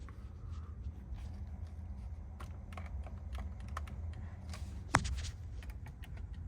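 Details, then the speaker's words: 2024 Tesla Model 3 Long Range AWD, owned about 1.5 years: light, irregular plastic clicks and ticks from the steering column when the wheel is gripped, over a low cabin hum; owner suspects plastic pieces behind the wheel, possibly worse when hot. "You can hear the kind of steering column like like uh I don't know, rattling around."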